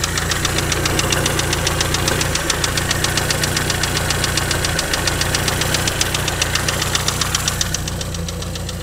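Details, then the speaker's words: Engine running after rocker work: quick, steady light tapping about four per second over the idle; owner is 95% sure it comes from the top end, suspecting worn rocker assemblies. "Well, as you can hear, there's still a bit of a tap from somewhere, and I'm 95% sure it's somewhere around here as opposed to down there."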